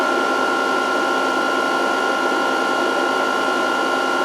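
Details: VFD cooling fan running normally during capacitor reforming at 140 V input; lamp out once capacitors charge, display flashing under-voltage and stop. Steady, even fan whir with a fixed high tone, no rattle or wobble.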